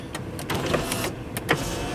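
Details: Land Rover Discovery 2 power window: brief motor whir with clicks at start and stop, glass travelling smoothly with no grinding or straining; window regulator working normally.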